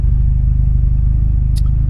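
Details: Peugeot 206 GTI 180 petrol at 107,000 miles, cold-started, with what is believed to be an anti-pollution fault warning showing. Even low rumble with a steady firing pulse and no knocks or ticks. Normal idle.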